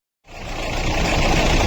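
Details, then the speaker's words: Mahindra Bolero diesel idling with a rough, gritty whirr under the knock. Water pump (water body) bearing is damaged because the alternator belt was over-tightened by a mechanic. "यह जो sound है ना, यह आ रहा है अपनी गाड़ी के वाटर पंप से। वाटर बॉडी बोल लीजिए, वाटर पंप से बोल लीजिए। इसका जो बेरिंग है ना, वह डैमेज हो गया"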